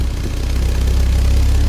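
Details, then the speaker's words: 1987 Porsche 944S 16-valve with a used engine, after fixing a kinked fuel line and a weak fuel pump. Cold, it holds a steady, smooth low idle with no whine or ticking, and the fuel pump is no longer audible. Normal cold idle. "running all right it's cold seems to be pretty good let's shut it off before we get appixiated"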